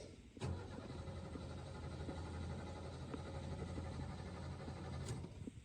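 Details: 1985 Ford F150 4.9 L inline-six 4x4 carbureted, unstarted for about two months: starter churns at an even beat for about five seconds without catching; extended cranking after sitting.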